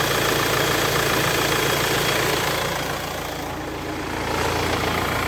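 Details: Renault Espace 4 idling after a new accessory belt was fitted (the old one failed on the motorway): steady, even idle with a light rhythmic patter and no belt squeal or chirp. Normal, healthy idle after the repair.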